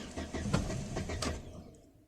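Starter churns the engine over in quick even pulses, about four a second, but it never catches and dies away; fuel pump not delivering.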